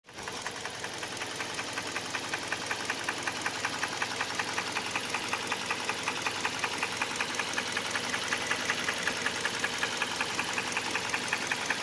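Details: Hyundai Elantra 1.8 engine with sharp, regular metallic tapping just under two per second over a smooth idle; knocks both cold and warm, louder as revs rise. Internal engine knock, cause not yet identified.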